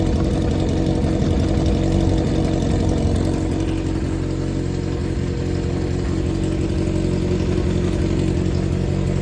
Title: ｛4HM｝ XJR400 実動エンジンASSY 異音白煙無し 始動確認動画有り 絶好調 圧縮測定済み XJR400R XJR400S XJ400 初期型